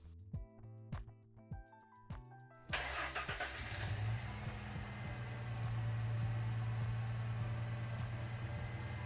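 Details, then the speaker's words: Ford Mustang with a cylinder 1 misfire, started after a new spark plug was fitted (compression 170 psi). It still idles unevenly with a lumpy stumble. The misfire persists and was ultimately traced to a faulty ignition coil pack. "Well, it looks like that didn't solve our problem, so we're going to continue looking. Next, we're going to look again at the ignition coil."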